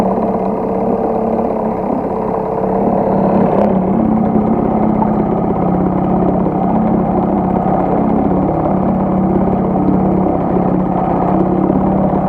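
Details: HDX T 2.6 CBMS outboard, first start during break-in: small two-stroke buzzes at steady, even speed with no knocks or misses; normal running.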